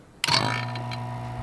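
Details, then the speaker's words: Car AC vacuum pump switched on with blue low-pressure line hooked to the car's low-side port before evacuating an empty system; click then steady low pleasant hum and even whir, no rattles, normal running. "you'll hear a pleasant hum."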